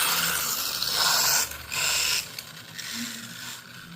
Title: Grinding sound, means only one thing new pinion gear 👍🏾